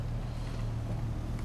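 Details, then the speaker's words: BMW E39 on a test drive after a misfire repair with the code cleared and no check-engine light; a steady, even engine drone with no stumbling, running better, so this is normal running. "Looks like it feels like it's running better already."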